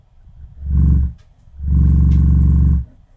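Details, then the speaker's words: Miller & Kreisel MX-70B powered subwoofer with MP3 player disconnected: deep throbbing ~30 Hz bass hum swelling in two long bursts; amp self-oscillating, frequency shifts with low-pass adjustment, suspected high-ESR capacitors or dirty pot. "It's breaking into oscillation. So even if I have the MP3 player disconnected, I still have probably about a 30 hertz oscillation."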